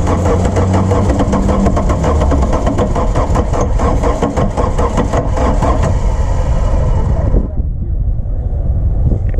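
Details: 1981 VW Rabbit diesel, first start after sitting about 15–17 years with fresh diesel primed through the lines: rapid, regular chugging pulses as it cranks and catches, firing unevenly before settling. Running rough after long storage.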